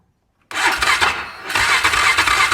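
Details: UTV just rebuilt with cheap eBay parts, first start: engine catches and settles to a fast, light idle with a faint tapping that seems in the top end; valves look normal on inspection; top-end tapping.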